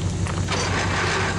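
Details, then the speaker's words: Worthington tractor, Chrysler 218 flathead six, first start in decades: deep, steady rumble with even firing on all six cylinders; a bad water pump rattles slightly. "But it picked up on that six cylinder, so it's running on all six now."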